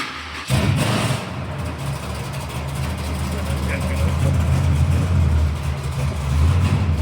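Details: Chevrolet Monte Carlo drag build, 415 V8 with Black Widow exhausts, primed with a pump and started: it fires at once and settles into a deep, steady, lumpy idle with no knocks or misses; healthy start.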